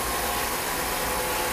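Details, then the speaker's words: Steam locomotive feed water pump, turbine-driven with a small ram engine underneath, heard from the fireman's side of the cab: steady even steam hiss with a faint constant whine, no knocks or surging; normal operation. "This particular feed water pump is very easy to operate. Uh Steve showed you the turbine for the pump and the little ram engine up underneath here. And you can hear it."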